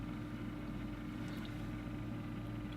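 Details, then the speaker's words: Two cooling fans in an old 3Com network switch, wired in series to run at half speed: low, steady hum with a soft even tone and no rattle or whine; the fans run quietly and smoothly. "I have enough done it right and it's now a half speed on both fans"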